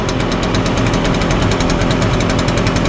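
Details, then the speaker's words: Echo PB-580T two-stroke backpack blower running outdoors after a new recoil starter rope and new coil. Loud, steady buzz with fast even pulsing and strong air rush, no surging; starts easy, runs good, blows hard, considered fixed. "right, well that sounds good. I think starts easy, runs good, blows hard. These are very powerful blowers."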